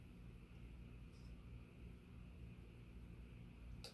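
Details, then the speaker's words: Sears/Emerson "Turn of the Century" 40-inch ceiling fan, KB55 motor, on decade capacitor box around setting 5: quiet steady low drone at slow speed, no rubbing, scraping or ticking; normal low-speed running. "That's a nice low right there for something like this."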